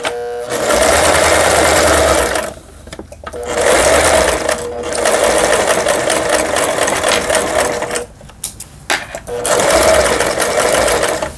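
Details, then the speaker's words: Yamata FY812 Chinese sewing machine, about 15 years old, after repair of seized internals, on SS setting: start-stop bursts of uneven, harsh stitching clatter; runs rough overall, attributed to a cheap machine with weak internals. "그 다음에 요걸 SS에다 놨을 때 좀 저가의 기계라서 그런지 전체적으로 부드럽지가 못하네요."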